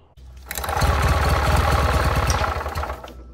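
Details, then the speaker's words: 1967 Army generator, 2-cylinder 3 hp 1500 W, before cleaning the points: the bottom cylinder had lost spark, so it runs on one cylinder with a lumpy, uneven putter. Misfire, running on one cylinder. "so after cleaning the points and hearing it run for the second time i think it was only running on one cylinder the first time here's what it sounded like before"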